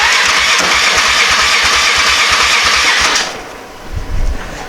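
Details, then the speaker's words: Polaris 425 ATV not run for 3 years, dirty carburetor, key on and starter button pressed; even cranking about three beats a second for three seconds, seems to have compression, never fires; cranks but no start. "Cranks, and it sounds like it has compression."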